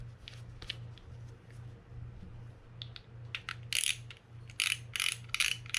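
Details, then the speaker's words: Shimano Stradic 4000FG spinning reel just serviced and reassembled, handle cranked by hand in test: uneven metallic clicks and ticks over a low churning hum, louder near the end; the servicer dislikes the noise and plans to test the drag outside. "Yeah, see, I don't like that noise right there."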